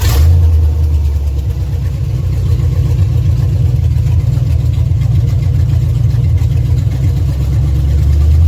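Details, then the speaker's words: 1971 Dodge B200 Tradesman camper van, 318 V8 with 727 transmission, revived after sitting since 1995: deep steady burble at idle, no ticks or knocks, timing set by ear without timing light, good oil pressure. "it actually runs really well now and I'm still playing with the timing a little bit because I think I can get it a little bit better"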